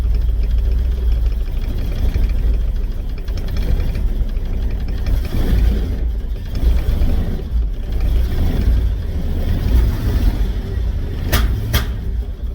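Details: Volvo that pings and backfires badly when given gas: rough, uneven running with low rumble and sharp pops. It smells rich; owner suspects the fuel pressure is set wrong, though the regulator seems to hold.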